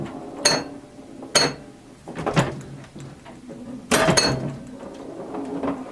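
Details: 1977 Williams pinball, the first solid-state machine Williams released and originally designed as electromechanical, playing after an electrical restoration with a repaired CPU board: irregular sharp solenoid thumps with ringing chimes between them, some chime notes possibly off-tune. Normal gameplay.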